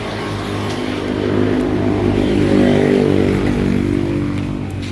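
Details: Kawasaki Ninja RR 150 two-stroke after service and tuning for heavy pull, misfiring (brebet) and sticking throttle/KIPS, throttle piston sanded: clean buzz climbs smoothly and drops back without stumbling; power and sound now good, problem fixed.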